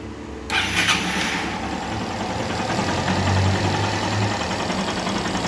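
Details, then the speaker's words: 2018 Honda CG 160 Start motorcycle after top-end rebuild for piston melted by lack of lubrication (valve seals, clutch): quick starter whir, catches immediately, settles into steady quiet idle; clean healthy start. "motinha finalizada com sucesso e tá aí o resultado dar partida para vocês"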